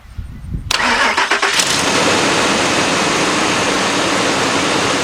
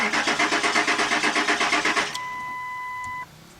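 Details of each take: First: 1997–2002 Ford Expedition that cranked but wouldn't start; the fuel pump was not heard at first, and pressure was then built up to 35 before cranking. A few seconds of cranking, then it catches cleanly into a steady idle; the pump connector was found not fully plugged in. Normal start. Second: 1997–2002 Ford Expedition, gauge reading empty despite seven gallons added, runs when sprayed with starting fluid: the starter cranks evenly about seven beats a second with no catch and no fuel pump hum; crank no start, pump not priming.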